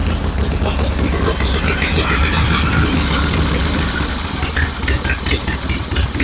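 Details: 1974 Harley-Davidson Ironhead Sportster chopper after repair work, with the battery at 12.8 V before starting to check charging: a loud, even, loping idle with no misses or clatter. It now runs smoother; normal idle.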